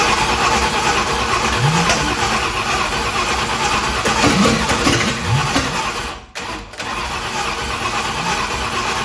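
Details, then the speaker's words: 1965 Ford Thunderbird FE 390 V8 with Pertronix ignition, distributor turned the day before: cranking with sharp irregular pops and bangs and a brief cut-out; backfiring, owner suspects ignition timing. "it's backfiring all right so I I did turn that distributor yesterday and locked it down probably need to turn it back this way a little bit"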